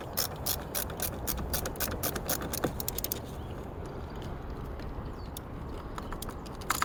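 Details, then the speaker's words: 2001 Ford Expedition no-crank, starter cord and battery reconnected: fast, irregular clicking bursts with no cranking that fade after a few seconds; cause a corroded, loose negative battery terminal wrapped in electrical tape, later sanded for contact. "All right, so I decided to clean the terminals a little bit. They were pretty corroded, not making good contact. So I took some sandpaper in there, but I noticed that this one here was like loose and it was wrapped up in a bunch of electric tape."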